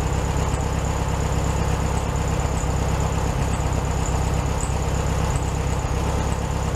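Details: 1967 VW Beetle 1500cc air-cooled, warm idle after carburetor refitted on new base gasket (second fix attempt); even, steady chuff, slightly fast, no stumbling or hunting; idling fine, probably a little high.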